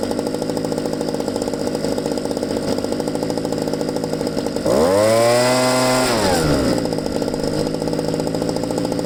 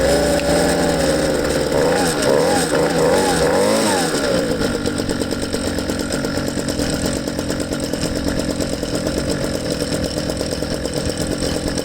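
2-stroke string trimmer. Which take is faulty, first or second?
second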